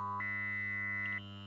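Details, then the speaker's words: Adam Audio A7X studio monitor on the bench, owner said it "sounded funny": a 1 kHz test tone stepping up in frequency is obscured by a nasty, harsh, distorted fluttering mains hum; cause not confirmed; large caps inspected next. "So here we have it. It's powered up, and we have a nasty sort of fluttering hum coming from it."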